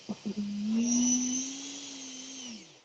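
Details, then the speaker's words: New Hobby King 50mm F-16 EDF jet's ducted fan spooling up and down while held on a table: a steady low buzz with a thin high whine, loudest when touching the table, indicating an out-of-balance fan unit that needs balancing before flight. "the louder it gets the higher it gets louder for those of you that have this plane yes it's going to be out of balance you may not notice but just because you don't notice does not mean it's not there"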